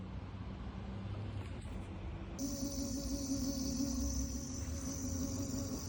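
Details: Segway ZT3 Pro D hub motor: steady low hum with a wavering mid whine as the motor spins up; owner asks whether this is normal, cause unclear.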